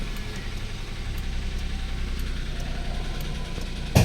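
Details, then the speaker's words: Flood-damaged first-gen Toyota Wigo 1.0 three-cylinder after heavy rain, idling rough and very loud with a steady low rapping knock; bent connecting rod. "So yung mga ganyang ingay mga Bossing ay connecting rod na naman to baluktot"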